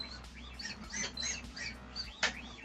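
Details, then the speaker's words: Annex K3 3D printer build, unplugged 0.9-degree stepper motors turned by hand moving the belt-driven axis; rising and falling whistling tones tracking each push, loud even while unpowered. "I really don't like the long voice stepper motor like I really I'm not a fan of 0.9 degrees Motors they're so loud look this is not even plugged in and it's making all this noise it's not even plugged in yet"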